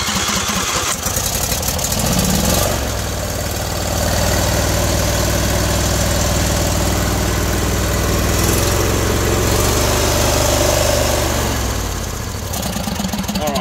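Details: John Deere D130 twin-cylinder mower running on the right-side cylinder only, left coil removed: lumpy, uneven idle with a heavy low throb; faulty ignition coil being diagnosed before replacement.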